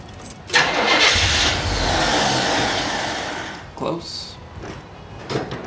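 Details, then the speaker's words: 1981 Pontiac Firebird Trans Am, carbureted, stored for years, cylinders oiled and plugs checked: engine catches with a rough burst, runs a couple of seconds, then dies; fuel starvation, starts only with gas poured into carburetor, fuel pump suspected. "well she doesn't appear to be getting fuel every time it'll start as soon as I put gas directly in the carburetor but other than that it doesn't seem like we're getting any fuel"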